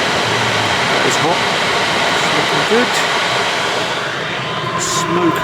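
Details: Chinese diesel heater in a van after replacing faulty glow plug for E03 error: steady even fan rush with soft combustion roar, no stumbling or surging, initial smoke clearing; heating normally.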